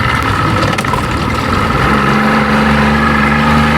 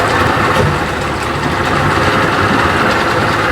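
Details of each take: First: 1992 Johnson 60 hp two-stroke outboard after repair, idling on the water before a test run: steady, even burble with constant low drone, no misses or stumbles; likes one and a half turns with just the bump. Normal idle. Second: 1992 Johnson 60 hp outboard after timing screw was disturbed, started quickly with two primer pumps: loud buzzy idle about four beats a second with occasional stumbling miss; carburetor needle adjustment follows.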